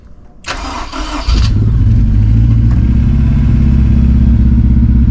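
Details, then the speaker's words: 2006 Honda S2000 AP2, 6-speed manual, cold start: brief crank, catches into a cold idle with an uneven stumble from a misfire that clears once warm; owner doubts a burnt valve, cause unconfirmed. "Hear that mist, but it clears up. So should be all right. I don't think it's a burnt valve or anything, as you can tell."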